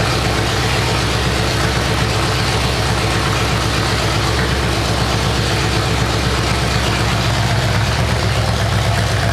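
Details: 427 big-block Chevy on an engine run stand at first fire after a long time unrun, distributor timing adjusted: loud, deep burble through open headers, steady and even, no ticks or knocks; normal idle.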